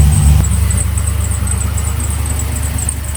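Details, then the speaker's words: Trailblazer SS V8 after replacing the GM fuse box (crank-no-start, codes P1682, P0689, P0443): deep steady idle with an even pulse of about four beats a second, no misses or knocks; normal idle. "and of course you know while the engine was on i had to give you guys a little taste of what it sounds like"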